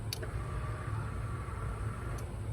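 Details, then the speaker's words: Chevy 5.3 whose dash lights stay on with the key out: two sharp relay clicks over a low rumble when ground is applied, and the owner concludes it is a ground problem. "you guys hear that relay's clicking that's my problem man ground problem i just gotta find it let's find it"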